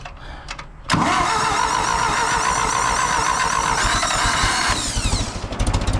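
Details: 2000 Toyota Avalon with new carburetor, rebuilt starter and oil change: cranks briefly, catches cleanly at about one second and runs smooth and steady before shutoff; engine starts and runs healthy.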